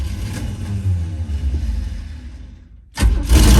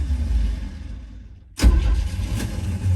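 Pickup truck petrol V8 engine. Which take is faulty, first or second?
second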